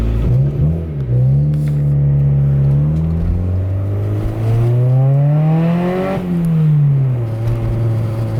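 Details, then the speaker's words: Barn-find Honda CRX Si while driving, its crusty 30-year-old exhaust ending midway under the car, before replacement: deep, raspy, tractor-like drone rising and falling with revs from the rotted, leaking exhaust. "it sounds like a tractor. But yeah, it sounds awful. The exhaust comes out like midways."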